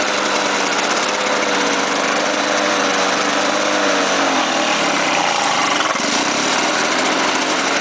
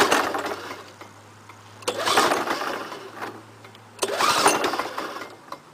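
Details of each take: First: Lawn-Boy 5127 two-stroke mower, first start after 10 years stored, fouled plug replaced, gas squirted into intake, on choke: buzzy engine runs steadily, dips briefly mid-clip and recovers; fires cleanly and keeps running. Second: Lawn-Boy 5127 mower, first start after 10 years in a shed, fresh gas, full choke: three pull-cord cranks about two seconds apart and it never fires; the owner suspects no spark from a fouled spark plug.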